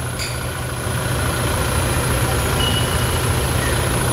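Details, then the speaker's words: 2017 Toyota Hilux diesel with 170,000 km, at its 10,000 km service: smooth, steady idle chatter with an even beat and no rattle, knock or hiss. Normal healthy engine, no leaks seen. "escutem aí ó e é muita melodia o padrão a Hilux com 170 mil km rodados"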